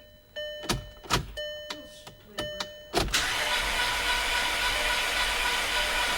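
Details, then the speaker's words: VW Passat 2.0T FSI, long unrun; a few uneven thumps then the starter spins freely with no compression pulses or binding, bent valves suspected, battery weakening. "sound good at all it really it sounds like no compression at all you see what I mean there's no binding but I think there's no compression"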